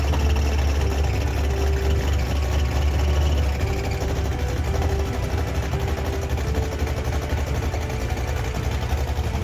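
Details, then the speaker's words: 1968 Ford Mustang engine at idle after wiring reconnected and fuel pump working: uneven metallic knock about four per second from the bottom end, something apparently touching/hitting as it rotates; cause suspected, not confirmed. "I'm gonna go and check where we're getting that noise from on the bottom end."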